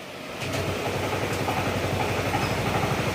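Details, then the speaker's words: Honda PCX160 idling after an engine overhaul for loud engine noise blamed on the crankshaft; even, steady low thump with no chirp or rattle; the chirping noise is gone, slight slider noise remains, engine still to be broken in; normal idle. "Ayan. Nawala na yung kuligligan."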